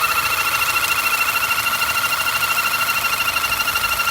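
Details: 2009 Audi A4 2.0 Quattro, after sitting a few days, with rough idle and power loss: loud steady whistle pulsing about three times a second from a torn PCV valve diaphragm; replacing the diaphragm fixed it.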